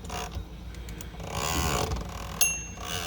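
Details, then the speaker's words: Hermes 3000 typewriter carriage gives a faint rough grinding as it moves, bell ringing near the end; the space bar is set too low and catches on the escapement, fixed by a minor space bar adjustment. "The problem is usually the space bar. The space bar is down too far. When it's down a little too far, it grinds right there, and you can even see the space bar jiggling a little bit."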